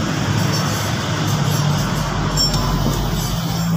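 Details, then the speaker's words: Ford Everest power window regulator repair: the motor is test-run directly off the battery before full welding and should make no noise. Smooth, even low hum with no grinding, clicking or binding; very quiet, normal operation. "Yan, tahimik na tahimik guys. Dikit mo ng konti. Sa ano. Yan, swabing swabe."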